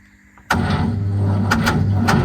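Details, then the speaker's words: Peugeot 403 pickup, starter powered from a separate battery: sharp engagement and strong, even cranking with no grinding; starter healthy, battery too weak. "Autant le démarreur n'a rien. C'est juste la batterie qui est pas assez puissante."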